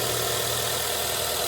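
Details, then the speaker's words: Nissan Sentra, 131,300 km, after fixing a misfire by replacing ignition coils, check-engine light cleared: smooth, even idle with steady hum, no stumble or knock; engine running normally. "esse defeito já solucionamos já tá concluído motor tá funcionando normalmente"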